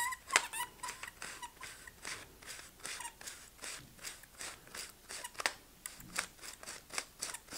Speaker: but you can hear that squeaking as it's going and it feels very stiff to me